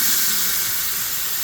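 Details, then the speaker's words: Faucet opened to relieve household water pressure reading about 145–150 psi, water heater relief valve leaking: loud steady rushing hiss, strongest at first then slowing as pressure dropped toward 90 psi; excessive pressure from thermal expansion. "yep you could hear it was higher in the beginning and then and it slowed down a little bit"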